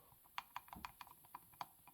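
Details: Ironhorse 266XP chainsaw failure analysis: light, sharp clicks in uneven bursts as the piston rocks on a loose, worn wrist pin; owner suspects the saw went lean briefly; wrist pin slop.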